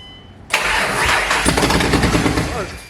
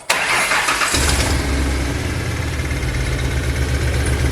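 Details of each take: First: Ford Mustang first start after engine rebuild, running basically open headers: cranks and catches sharply with a loud roar, then revs sag and die within about two seconds; stall traced to mass airflow sensor. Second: Ford Mustang first start after engine rebuild: brief crank, engine catches right away and settles into a strong, even idle with no misfires or odd noises; normal start and idle.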